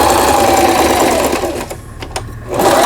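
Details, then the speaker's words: Singer 3221 sewing machine after shuttle race hook timing repair, zigzag stitching: fast even rhythm with hollow drum-like thump from empty space in the lower housing; runs properly, just loud; normal running. "바느질. 이 기계가 좀 소음이 크다고 이렇게 느껴지실 거예요."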